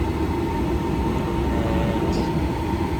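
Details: Jandy JXI400 pool heater that was not heating, after replacing its control with a Jandy power interface universal controller: steady, even roar from the burner and blower with no surging, popping or cutting out; the heater is firing normally.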